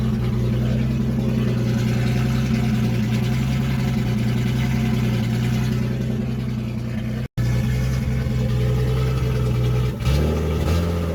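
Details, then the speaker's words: 1976 Datsun 280Z six, first start after sitting four or five years, unsilenced: loud raw fairly even low drone with brief cut and rev blip near end; runs fine; won't restart hot, owner suspects distributor. "well it definitely runs better than I thought it would it started right up"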